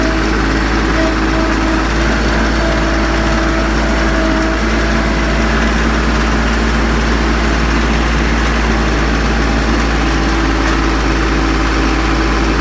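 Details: Branson 3520H diesel tractor after valve adjustment (valve cover pulled; dealer suspected rockers or valve hitting piston): steady, even idle clatter with no tapping standing out, declared fixed.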